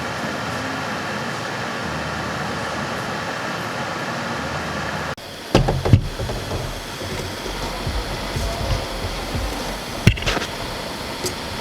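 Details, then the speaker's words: 2014 Jeep Grand Cherokee Overland (WK2) cabin blower motor, part PM9353, with worn bearings: still blows air at every speed from one through seven but makes a loud, rough roar with a rumbling undertone; motor to be replaced. "i will do a short clip here to show you what it sounds like when the bearings go out it still blows air at every increment of one through seven but it makes a very very noisy sound which is annoying"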